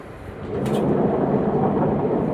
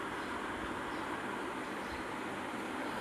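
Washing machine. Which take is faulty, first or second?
first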